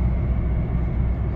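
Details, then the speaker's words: 2012 Skoda Yeti 2.0 TDI diesel, about 149,000 km, test drive at about 70 km/h after wheel bearing and brake pad replacement and throttle body cleaning: steady low road rumble, no hum or growl; the bearing runs quiet. "okej to żadnego dźwięku nie ma już nic nie widuję Jadę sobie 70/70"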